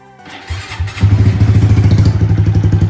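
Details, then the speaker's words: Honda Grom motorcycle, low miles, recently bought used: short crank, then the small engine catches and settles into even, regular thumps with no rattle; normal healthy start-up. "Check out this little Grom. She runs. Got it for dirt cheap off a buddy."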